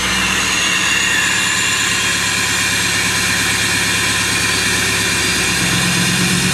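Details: Duramax diesel cold start at about 27–28°F without glow plugs: loud, even clatter at a raised, steady high idle with no misses or knocks; normal cold-start high idle.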